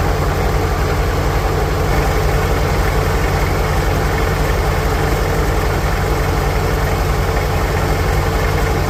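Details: 1946 International Harvester Farmall H four-cylinder, in neutral after a pushrod replacement and deep cleaning, with a low battery: smooth, evenly paced low-pitched idle with no skips, taps or rattles; normal, healthy idle.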